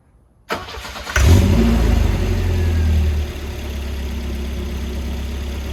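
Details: Volvo being diagnosed for fuel pump relay trouble starts after the 25 amp fuse connections were probed: it cranks briefly, catches with a flare of revs, then drops to a steady, even idle; starts and runs normally.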